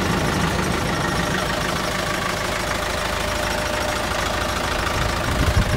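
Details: CAT/Perkins 3054C diesel on a wood chipper, unrun for three years, after new filters, fluids and a replaced corroded battery cable: steady low clatter settling into an even idle with no misses or knocks; starts and runs cleanly.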